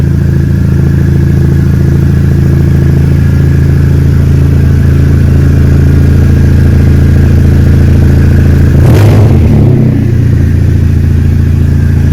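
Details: Exocet chassis-swap Mazda Miata with a Flying Miata turbo, freshly built and on the ground, running with a loud, deep, even exhaust rumble and one quick blip. Turbo engine running strong and clean, normal.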